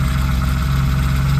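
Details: BMW E36 drift car with a 2.3 straight six and aluminum flywheel, standing years in a yard, started on the first turn of the key: steady, even low hum with constant pitch, no misses or knocks; normal idle.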